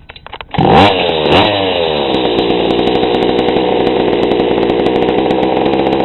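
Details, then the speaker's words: GoPed gsr40 two-stroke with 603 high-performance carb, low-speed needle leaned a bit beyond a quarter turn: fires, blips up crisply, holds a clean, even buzz without stumbling; mixture now right, normal running. "that actually sounded pretty good"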